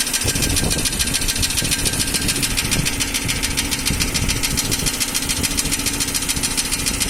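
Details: Nissan Almera N16 engine: steady light ticking about two per second at even idle, appeared about 3000 km after piston ring and valve stem seal replacement, unaffected by speed; cause confirmed as intake valves set too tight.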